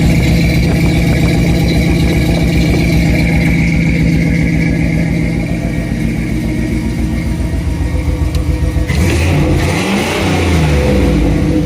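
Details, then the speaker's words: Jeep Wrangler YJ revived after years sitting, new fuel line and filter, pump primed before start: even regular low pulses about four per second, then brief throttle blip; runs smooth and healthy. "She sounds healthy."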